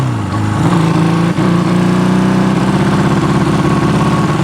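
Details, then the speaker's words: Honda CB200T twin running after cam and valve replacement: it revs and holds, but the note stutters and breaks up instead of running clean; the owner blames the carburetors, which still need sorting. "we're going to figure out these carburetors but it's running that's all I care about right right now I'm not really concerned about how well it's running"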